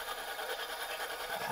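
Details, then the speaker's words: Idling engine, diagnosed with a stethoscope: fast dry rattling whir at the front belt area with a slightly wobbling, misaligned pulley; mechanic first considered the alternator, then located it at the water pump, a worn water pump bearing to be replaced. "ah yeah look like to me something not right at the water pump area"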